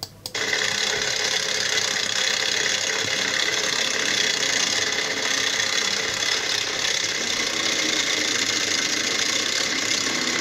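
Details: Opel 1.6 CDTI diesel with only 85,000 km, idling: loud constant metallic clatter of the timing chain from a faulty tensioner, driven like this for a few days.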